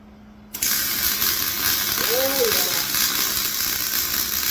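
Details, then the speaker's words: MIG welding a flatbed for a 2006 short box Ford F-250 after turning wire speed up: short quiet lead-in, then steady even frying-bacon crackle; arc runs smooth, normal welding sound. "Alright, I went ahead and turn the wire speed up a little bit. Let's see how that sounds. If it sounds any better than that."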